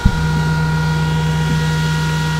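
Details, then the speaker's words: Antminer L3+ with its stock fans reinstalled after a failed Noctua NF-F12 swap: loud steady low hum, constant whine and even airflow rush, miner running again; normal fan operation. "the fans are back on i got it hooked up over here for now"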